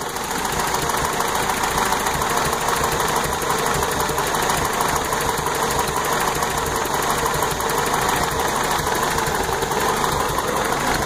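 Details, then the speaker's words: Toyota truck after new timing chain, oil pump, water pump and exhaust work: uneven, sputtering, shaky idle that smooths with throttle; owner suspects ignition timing not set right at the distributor; cause unconfirmed; earlier overheated, cap possibly compromised. "but you see how it's sputtering that's what I'm curious about if anybody can tell me why this thing is sputtering and shaking a little bit"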